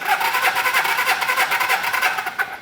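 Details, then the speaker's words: 1980 Suzuki GS450 barn find cranking on the electric starter during a compression test, with quick, even pulses and no weak strokes. Compression reads just over 150 (one about 125), which points to healthy compression. "just over 150 I'll take it about one and a quarter should still run though"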